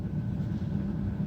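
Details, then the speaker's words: 2003 Dodge Caravan blower motor with the resistor tested outside its housing, speed turned down from full blast: steady, even low whoosh on a low setting with no rattle, ticking or squeal, blower healthy. "let's turn the speed down you can hear the sound [Music] change it's off first speed"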